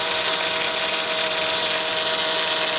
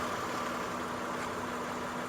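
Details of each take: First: 2004 Honda Odyssey EX at idle: steady harsh whine and groan with felt vibration from the power steering pump, growing louder; bubbling fluid shows an air leak, fixed by replacing inlet O-ring. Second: 2004 Honda Odyssey EX after a power steering pump noise fix (pump O-ring replaced with a Harbor Freight R-08 O-ring), engine warming up after a short test drive: smooth, quiet idle with no whine or groan from the pump; problem fixed.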